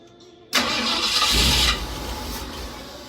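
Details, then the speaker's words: 1964 Ford F-100 with a 289 V8, not started in 17 to 18 years. The starter cranks about a second without catching; old gas had clogged the carburetor: no start. "This truck does have a 289 motor in it, and it hasn't been started up in probably about 17 to 18 years. Kind of find out why it wasn't starting was there was old gas clogged up in the carburetor"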